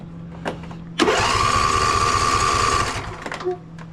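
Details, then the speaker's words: Husqvarna YTA24V48 tractor, 24 HP Briggs & Stratton V-twin, that sat all winter: the starter whirs the engine over for about two seconds but it never fires. It cranks but won't start, later traced to a fuel problem. "he said it'll turn over he said it just won't crank"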